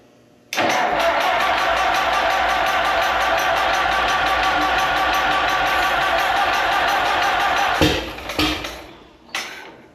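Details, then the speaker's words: Allis-Chalmers M tractor after magneto rebuild, carburetor and governor linkage work, compression checked: long steady cranking then short stabs, never catches; owner suspects weak spark from magneto. "so we're trying to crank it back up there and I'm getting some p but I just don't think I'm getting enough spark"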